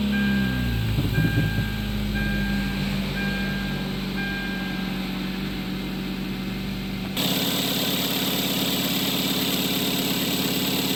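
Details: Kia Soul 1.6L on first start after replacing the alternator with a used unit of about 50,000 miles: the engine catches and settles into a steady, smooth idle with no belt squeal or chirp, running healthy.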